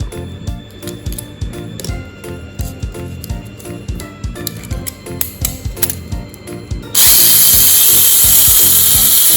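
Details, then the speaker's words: Mini 4WD FMA chassis with stock setup: after handling clicks, loud steady high-pitched gear whir from the gearbox, noisy because the crown gear is supported by the gear-cover wall; strong transmission but unmodifiable in this class. "Tapi kuatnya itu kalau settingan bawaan itu berisik."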